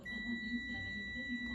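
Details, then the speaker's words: Multimeter continuity test on the phase line from the cable of a non-working standing fan, about 6 months old and still under warranty, motor not seized; a single steady high beep over a quiet room shows the line is continuous and good. "ඒ කියන්නේ මේ line එක හොඳයි. මේ විදිහට මේ line තුනම check කරගත්තා නම් මේ කේබල් එකේ ඉඳන් මෙතනට එනකන් ලයින් එක හොඳයි කියලා අපිට ගන්න පුළුවන්."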